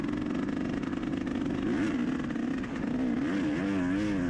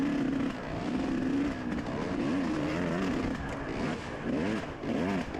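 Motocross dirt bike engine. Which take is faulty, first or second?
second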